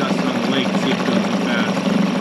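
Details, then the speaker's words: 2001 Yamaha 5 hp two-stroke outboard, just started and idling in gear to see if it dies: steady even putter, no misses or surging; normal idle in gear. "Sounds pretty good right there. We'll let it idle for a little bit and see if it dies out in gear."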